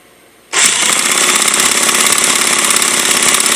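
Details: Redcat Racing VX 16 nitro RC engine that sat for years, with new glow plug, igniter, fuel line and filter, a cleaned carb and good compression. High-pitched starter buzz spins it steadily for three seconds. Cranks but never fires.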